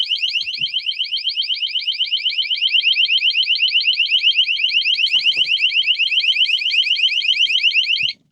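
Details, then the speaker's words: Water leak sensor with four metal prongs in the storage bay of a 2020 Grand Design Solitude 377MBS RV, tested with water: shrill high beeping about four per second, steady until cut off; water detected. "It's got these 4 metal prongs that once water touches it, it'll go off like that."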